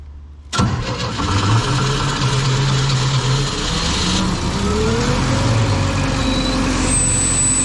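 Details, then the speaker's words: Old Sullair 185 gas compressor, condition unknown, first start after carburetor rebuild, running off a small plastic tank with ignition wires joined by hand; catches at once and runs smooth and steady, no misses or knocks. "a beautiful sound wow that's nice well I think that's the best money that I've spent recently that works really good"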